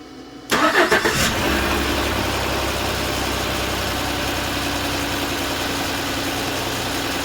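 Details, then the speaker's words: 2014 Chevrolet Silverado 4.3 after crank-no-start: a couple gallons of gas added and it starts with a brief crank, then a smooth even idle; it had been out of fuel, gauge showing just under 1/4 tank, level sender suspected faulty. "so I'm pretty sure it was out of gas and that fuel gauge is reading incorrectly"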